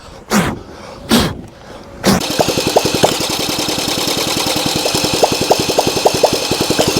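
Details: Honda CL90 single, previously locked-up engine, won't run on its own: two short cranking bursts, then it catches on starting fluid and pops along ragged and uneven at three to four beats a second, only briefly; carburetor jets checked next.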